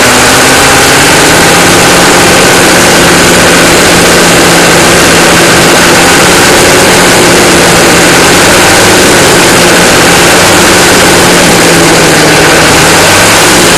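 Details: 1993 Chevy dually 6.5L turbo diesel 4x4, smoky startup without block heater: loud, busy idle with a few throttle blips and a dull knock buried in the clatter; engine knock, source not identified.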